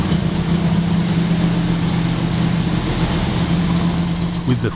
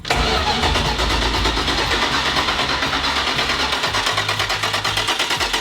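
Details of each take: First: 1970 Dodge Challenger T/A 340 V8, just started after nine years in storage, not yet warmed up: deep steady idle with an even rumble, no top-end ticking, good oil pressure checked. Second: 1970 Dodge Challenger T/A 340 V8 stored nine years, first crank to prime oil and fuel pump: steady rhythmic cranking about three beats per second for seven seconds, never fires; carb still empty of fuel, crank no start.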